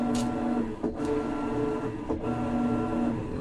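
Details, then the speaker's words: Kenmore top-load washer model 110.20022013 (Whirlpool-made), in test mode after shock replacement for off-balance shaking; steady motor hum with quick pauses about once a second as the agitator reverses, even and unforced; normal high agitation. "And you can hear this, that's a low agitation, and this is high agitation."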